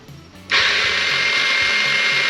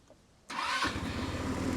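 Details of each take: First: Old scooter, retried on fresh battery: two long high-pitched whirring bursts, no firing; starter spins without turning the engine, declared cooked, to be replaced with spare starter. Failed starter motor. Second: Old 150cc scooter, dead in the jungle days earlier, now cleaned up with tires aired and cracked plastic glued. It fires at once on the now-working starter button and revs up smoothly, running evenly and starting easily. The kill switch also works.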